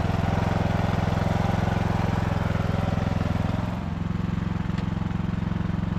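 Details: Poulan/Husqvarna riding mower saved from scrap, after cleanup and refurbishment: steady even single-cylinder putter at idle with a brief dip near four seconds, no knocks or misses; engine healthy.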